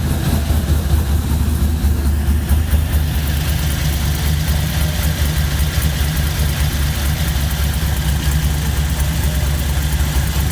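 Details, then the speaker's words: Chevy C10 LS swap after new lifters, head gaskets and heads fixed loud tapping: steady, even low idle with no ticking or tapping over the rumble, oil pressure about 50; valvetrain quiet and healthy. "there she goes she finally started sounds so much better i can't even hear it"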